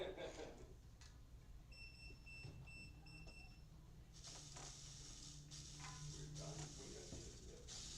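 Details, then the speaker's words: Micro RC car electric speed controller: faint motor whir with a run of short high beeps from the controller (two shorts then a long), traced to the throttle trim turned all the way down. Speed controller throttle trim set wrong. "It might be trimmed a touch off."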